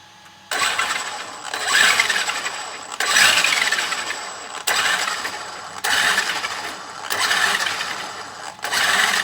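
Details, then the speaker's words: Traxxas X-Maxx, front diff pulled and inspected with no sand and no missing teeth: throttle bursts give a harsh rattly whir rising with motor speed. Owner suspects something broken inside the diff, maybe a bearing; drivetrain rattle unconfirmed. "so that's gonna lead me to believe that there might be a problem inside my dear what are you guys thinking I think something's broken in here"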